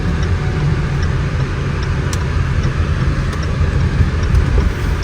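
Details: 2020 Range Rover Evoque L551 with AJ20P4 2.0 L petrol engine, under way on the road after a misfire repair: steady low engine drone with road rumble, no stumble or missing beat, pulling smooth and even; normal running.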